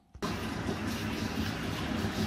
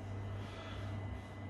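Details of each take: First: Worcester Greenstar 30Si Compact boiler firing up in hot water mode: steady churning, washing-machine-like gurgle over the burner rush; likely a blocked condensate trap. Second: Worcester Greenstar 30SI Compact boiler after condensate trap removed and refitted, running on hot water and heating: soft, steady low hum with a faint high tone, no gurgling or banging; now quieter, firing evenly.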